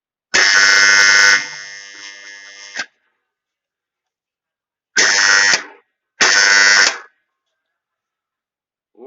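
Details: Loud harsh buzz from a 220 V-controlled magnetic contactor each time it is energized, cutting off sharply on release.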